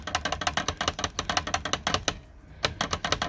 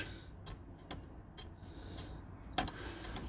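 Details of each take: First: Hermes Rocket typewriter after repair, the rubbing space bar guide piece oiled with red oil: crisp, regular keystroke clacks and carriage spacing with no squeal between strokes; the space bar now works quietly. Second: Hermes Rocket typewriter space bar, already oiled including at the spring: thin high squeaks at irregular intervals, about one a second, worse when pushed one way; traced to a guide piece in front rubbing, later fixed with red oil.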